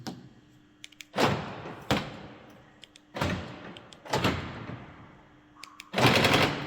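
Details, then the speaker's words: Mercedes-Benz B-Class door lock: sharp bursts of rapid buzzing clatter about every second as the lock actuator cycles repeatedly. The door cover presses the lock rod against the door, keeping it under pressure. "the cover presses this Rod against the door and that makes pressure and that is and that is where you you you heard this sound"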